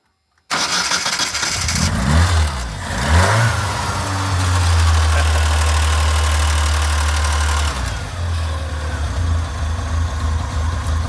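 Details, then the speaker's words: 1981-1990 Ford EXP/Escort fitted with an upgraded starter (as used on Taurus/Tempo 3.0 etc.), big cable run to solenoid: brisk, even cranking about two seconds, catches cleanly and settles to steady idle; draws far less current than the old starters. "and just like that we're up and running so you can hear it turns kind of quick but uh the big thing is you can tell it draws a lot less HS just standing here"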